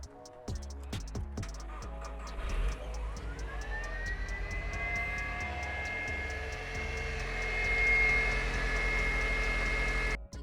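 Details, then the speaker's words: SEAT Ibiza FR on a cold start just after a new alternator was fitted. The engine catches, then a rising high-pitched whine holds over the idle before cutting off; possibly the secondary air pump, unconfirmed. "success the strange noise you can hear is what i have been told could be the secondary air pump"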